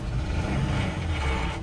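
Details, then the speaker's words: Ford F-250 diesel work truck, about 200,000 miles, possibly sat unused so engine may have been dry: steady low run with a dense rattling clatter that returns when revved after a restart; lower-end rattle, cause unconfirmed. "That's something in the lower end making a nice little rattling noise."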